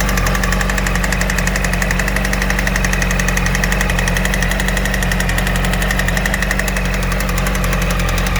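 Sharp, regular ticking-knock about four times a second rides over the motorcycle's steady idle; engine knock, cause not identified.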